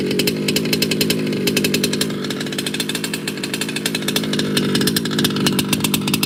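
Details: Baja 5T gas 1/5-scale RC two-stroke after major repair, first start: crisp, rapid buzz holding an even pace without stumbling; idling cleanly after pull-starting.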